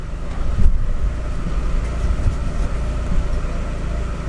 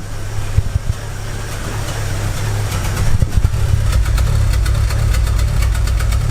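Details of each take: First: 2006 Chevy Aveo idling in drive after new plugs, wires and coil, vacuum-leak check, EGR cleaning and IAC valve cleaning/replacement for rough idle and P0300 code; steady low rumble, rpm not jumping, no misfire, hesitation or surging. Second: 2006 Chevy Aveo petrol engine idling roughly with irregular thumps and stumbles, worse and surging in Drive, P0300 random misfire code; plugs, wires and coil already replaced, which helped but didn't fix it.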